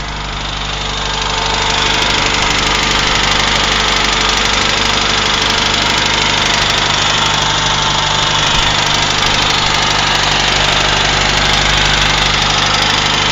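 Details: UZAM 1.5 petrol engine after rebuild, knock appeared around 1,200-1,400 km despite valve adjustment, slight choke, 1500 rpm: fast regular tapping about 3.5 per second over the engine; source unknown, chain rubbing tensioner noted but owner doubts it.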